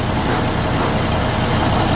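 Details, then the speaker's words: Freightliner Cascadia with broken SCR one-box emissions unit: steady diesel rumble with a hissy metallic rattle from loose internals of the SCR aftertreatment box while running. "This is a broken SC box and this is the way sounds like."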